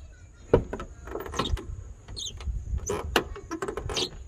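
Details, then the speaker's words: Jeep XJ door popping and cracking every time it opens, a few sharp pops rather than a smooth swing. The worn check arm has a bolt where a pin should be; the fix is replacing the check arm. "is the most annoying noise in the world at cracking and popping for the door every time you open it nothing makes a car feel worse and that is your culprit"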